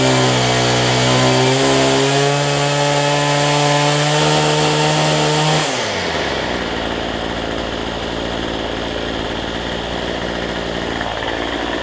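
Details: Cheap weedeater (number 3 of 4) after fitting a replacement Chinese carburetor kit: steady high-pitched two-stroke buzz holds at full throttle, then drops cleanly to smooth idle; trimmer runs properly after carb swap.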